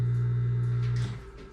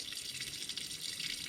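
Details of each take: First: Circulating pump removed from a Lochinvar Shield SNR 126-065 commercial water heater, bench-tested on a GFI outlet: a steady low electric hum, then it winds down quietly. The pump motor runs fine. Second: Lochinvar Shield SNR 126-065 commercial water heater, front access panel removed: steady hissing trickle with light drips as the secondary union beside the pump union leaks. The water runs over the electronics, shorting them and putting the heater out of service.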